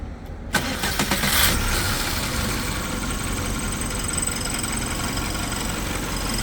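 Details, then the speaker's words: Volkswagen Passat that had shaken and stalled, no engine fault codes found, restarted after work: catches after a short crank and settles to a steady idle, revs slightly raised with no hunting; running clean now. "Абороты кішкене көтерілді. Аборотанда ойнап тұрған жоқ."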